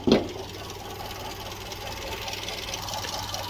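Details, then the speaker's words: 2008 Toyota Yaris VVT-i petrol idling with a light, fast rhythmic belt chatter; the exhaust back box also rattles. The customer reported a noisy belt, and the water pump pulley is wobbling, so the water pump and belt will be replaced. "um noisy Bell and obviously that's what the customer said but I've spotted the water pump now pulley is uh wobbling down there you go we're gonna have to change that and I'll change the belt as well"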